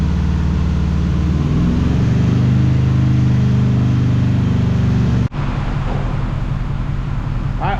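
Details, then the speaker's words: 2005 Dodge Ram 1500 4x4 with swapped-in donor Hemi engine and new fuel pump, warm idle; steady low V8 idle with a slightly uneven beat and occasional stumble, still missing. Owner thinks driving it more may help. "well it don't sound too bad sitting there idling but it's still got the Mist to it really need to get it down and uh get to put it a little bit more uh work I guess drive it around I think that help"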